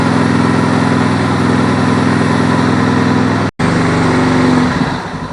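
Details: Suzuki DR650 single, which ran rough before, started on choke after replacing a bad rubber seal in the fuel cock. Steady fast idle with no stumbles or misses, then easing down; running properly.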